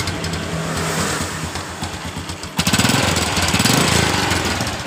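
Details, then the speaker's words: Revo Absolute motorcycle, cold engine at idle, listened at the crankcase: coarse metallic rattle about four knocks a second; worn gears with excess play, noise reportedly fades when the engine warms up. "Coba kita fokus di bagian dari bak kirinya ini dan kata pemiliknya juga ketika motor ini sudah panas suara yang semacam bunyi besi yang terlepas seperti itu biasa hilang"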